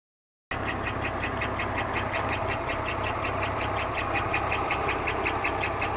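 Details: 1991 Buick Park Avenue 3.8L V6 at idle right after start: a sharp, regular tapping knock at a constant rate. It began half a year ago, is the same hot or cold, and persists with the accessory belt removed. Performance, economy and oil pressure are unchanged; cause unknown.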